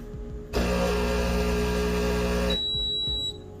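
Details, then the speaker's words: Breville Barista Pro espresso machine at switch-on: single steady mid-pitched beep of about two seconds over a soft hum, with descale indicator flashing, signalling scale buildup and that descaling is due. "As soon as you switch on the machine, when it's time to descale, the descale indicator will flash and there will be a beep as soon as you switch on."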